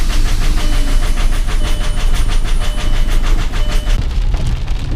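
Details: 2001 Volkswagen Jetta VR6 with fuel-saturated spark plugs, still missing a bolt from the intake manifold: a loud, uneven clatter ticking about three times a second at idle; still runs rough and diesel-like.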